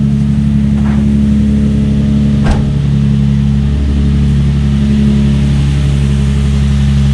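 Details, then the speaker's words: Nissan 350Z/G35 VQ35DE after idler pulley delete with rerouted 6PK1145 main belt: smooth even idle, steady low hum, no chirp or squeal from belts; normal idle. "Give it a couple revs just to make sure it don't squeak."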